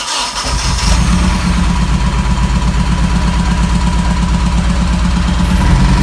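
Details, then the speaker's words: Freshly self-built Nissan KA24DE, naturally aspirated, in an S13, restarted: lumpy uneven idle with a pulse that keeps dropping out; misfire, cylinder 2 not firing. "That's a misfire. Okay, so hold on. Not one. Cylinder 2, nothing."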